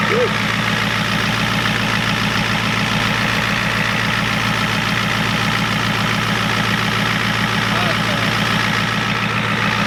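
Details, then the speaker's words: 1993 Ford F-250 7.3 IDI diesel after the injection pump was turned up and air purged from the fuel: steady, even idle clatter with a firm regular beat and no misses; sounds a lot better. "It's definitely a lot better. That thing sounds good."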